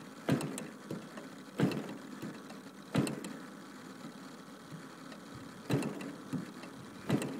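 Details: Warm DLE 55 gas engine with canister exhaust, about 120°F: spaced pull-starts, each a sharp thump then fading spin, never catching; will not start when warm, though it runs great once started.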